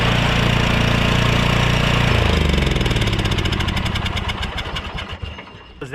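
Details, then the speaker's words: Honda Harmony lawn tractor engine, with air filter refitted and fuel cap on: smooth, even low drone, then firing beats space out as it winds down; started without hesitation, carb running fine. "that carb is running fine I'm not going to take it off and just make it more work for myself it's running absolutely fine she kicked over without a hesitation"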